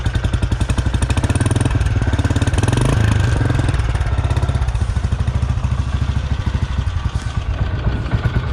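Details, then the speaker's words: 2008 Royal Enfield Bullet Machismo 350 ES, little used, idling: even steady low thumping with no ticks or knocks; engine normal, no extra noise, working properly. "तो engine में extra noise कुछ भी नहीं है, क्योंकि गाड़ी ज़्यादा चली नहीं थी, तो इंजन इसका ज़्यादा ख़राब नहीं हुआ था, तो नॉर्मल है इंजन।"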